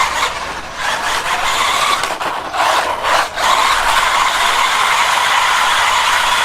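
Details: SG-1603 RC drift car after teardown and rebuild: steady electric whine with light gear hiss, no grinding or clicking; much quieter than before, drivetrain running smoothly.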